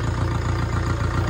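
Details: Flood-hydrolocked diesel car after water removed, on a lift, oil change pending: steady, even diesel clatter with no misses, knocks or surges, starts on half crank; engine fine, normal idle.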